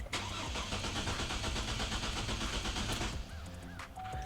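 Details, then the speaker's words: 2004 GMC Envoy with the fuel pump relay pulled, started to bleed fuel-line pressure before fuel pump and filter replacement for a leaking fuel tank/filler inlet: it catches, runs roughly about three seconds, then dies from fuel starvation. "So what we want to do is just start the car and let the car run until it dies, and then that'll bleed all of the pressure out of the fuel lines."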